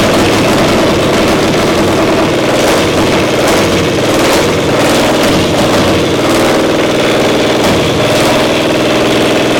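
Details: Diesel 70 pony motor at round 4 start, loud and lumpy with an uneven, stumbling beat as one cylinder keeps dropping out and fires only now and then; carb acting good now, misfire traced to faulty magneto cap.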